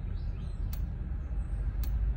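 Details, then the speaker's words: Nemtek Druid electric fence energiser just activated with the magnetic disc, reading 9 ("good"). Sharp single ticks about once a second over low outdoor rumble as pulses go onto the fence and return; normal, healthy fence. "you should be able to hear the fence ticking as it is now. That means that electricity is being put onto the fence and it's coming back, and it means that the fence is in a healthy state."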